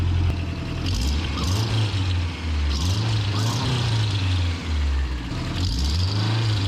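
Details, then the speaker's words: 1992 Toyota pickup 4-cylinder warming up at idle after the exhaust header was fitted. Uneven idle with a raspy, puffing high-pitched tick at firing rhythm, traced to an exhaust leak from the center of the header flange. "Oh, we got another leak right there in the middle. What the hell, over? That's what was sounding like that nice high-pitched exhaust leak."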